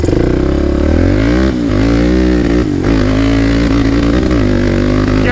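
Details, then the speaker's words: Predator 560 big-bore ATV engine, ported for top end, riding at full throttle: loud single revs up and holds high speed, but the pitch wavers and breaks up and pops; jetting still not quite right. "hear it break it up still not jetted quite right"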